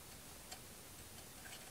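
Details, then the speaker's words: Husqvarna 61 chainsaw, 48 mm piston showing minimal shiny wear, rocked by hand in the cylinder: sharp isolated ticks from piston-to-bore wiggle; worn piston needs replacing. "don't know if you guys can hear that this one does actually have some wiggle so i would need to replace this piston regardless"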